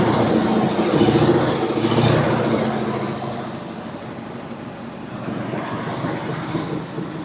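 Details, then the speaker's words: 1973 International Scout, long-dormant, fuel newly reaching it from the tank and filter: rough, uneven idle that sags and fades as if starving and about to die; owner suspects fuel starvation or the engine choking itself out with the choke down. "I can tell it's starting to take more fuel in or peter out. >> I think it's going to start to peter out here in a second, but I could be wrong."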